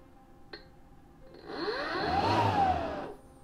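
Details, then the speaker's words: GreenWorks 40V blower/vac warranty replacement, run at full setting: motor spins up to a smooth rising whir, holds, then winds down cleanly with no rattle or scrape; normal motor run. "so that's working let's put this all the way on lure so you can hear it"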